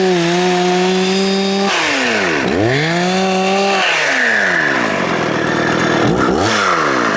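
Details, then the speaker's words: Husqvarna 266XP chainsaw, near-OEM resto-mod build with many NOS parts, bottom-end bearings not replaced; holds high revs then bogs and recovers while cutting wood; sounds rough and uneven, owner suspects worn bottom-end bearings. "WELL, I DON'T KNOW WHAT IT SOUNDS LIKE TO YOU GUYS, BUT it sounds like it might need bearings on the bottom end."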